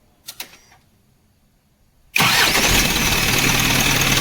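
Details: Isuzu diesel engine with a no-start from a faulty stop-motor circuit, after replacing a bent fuse: cranks and catches at once, settling into a strong, steady, even idle; clean normal start.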